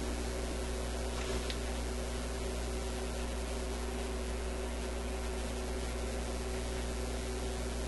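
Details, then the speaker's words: European tube radio after installing two new filter capacitors, running on 123 volts, FM with no antenna; steady low multi-tone hum under faint hiss, some residual hum remains. "I still hear a bit of a hum coming out of it."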